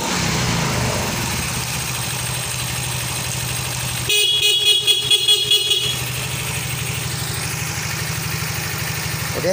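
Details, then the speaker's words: Yamaha Fino scooter after repairing a shorted stator charging wire that caused a 46-blink indicator code; the code clears by itself once the engine runs: even, steady idle with a regular putter and no misses, a brief noisy patch midway; normal start and idle. "setelah diperbaiki untuk kabel yang konslet dia akan normal kembali setelah motor dihidupkan teman-teman Oke sekali lagi kita hidupkan"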